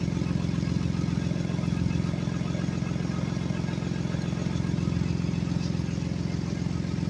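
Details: 2016 Ford Explorer at idle, customer reports exhaust leak: steady low idle with a quick, even puffing tick about three per second; exhaust leak suspected, not confirmed.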